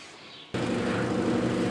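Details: Consul 16 kg top-load washer after replacing the worn hub under the agitator, which had caused loud noise when agitating: after brief silence, a steady even motor hum with no knocking or grinding; normal agitation.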